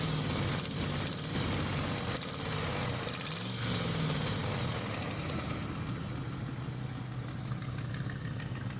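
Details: Dodge RAM 5.7 HEMI V8: exhaust manifold gasket burnt and manifold studs broken; with throttle, sparks fly and an uneven ticking, about four a second, sharpens over the rumble as it revs; exhaust manifold leak.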